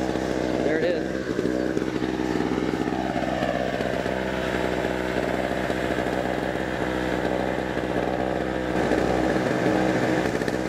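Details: Small used pawn-shop generator running: steady, fairly even engine drone without surging or misfiring, fairly quiet; normal running.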